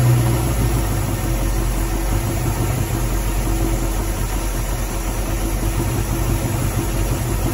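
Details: Barn-find 1969 Mustang Mach 1, 302 Ford small block with Erson cam, Holley 600 carb, C4 automatic, first run in nearly 10 years: low rough idle with uneven tapping about three per second; oil change quieted it but knock persists, cause unconfirmed.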